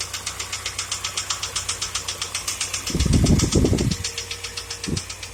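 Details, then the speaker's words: UAZ Patriot ZMZ-409 engine starts and runs perfectly, then about a minute after start, still at high warm-up idle, suddenly begins a sharp, even knock about four per second; cause not yet known. "Совершенно стука никакого нет. Вполне нормально работает. Вот начинает и штук. Вот и все, он застучал."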